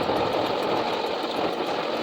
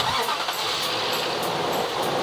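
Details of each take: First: 2004 Nissan Titan V8 idling, heard close up near the alternator after a makeshift PVC-pipe stethoscope test: dense rough grinding rattle; owner fairly sure the alternator is bad and replaces it. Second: 2004 Nissan Titan petrol V8 starting and idling steadily after alternator and serpentine belt replacement. No belt squeal or warning chimes, no check engine or battery warning lights, voltmeter working.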